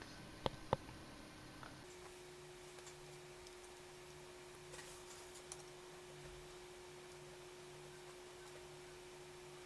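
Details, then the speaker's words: R9 290X graphics card in an FX 6300 PC: steady electrical whine with faint pulsing buzz, coil whine, common on 290Xs and not faulty. "This, my friends, is coil whine coming from the 290X, and well, it's not faulty, but many 290Xs have this problem"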